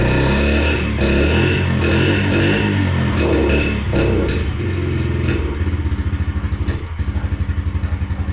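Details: 2021 Yamaha TTR50, unused for a couple of years, after carburetor reinstall: starts on choke and runs, then firing turns slow and uneven, about four beats a second; won't idle off choke, owner suspects idle set too slow, unconfirmed.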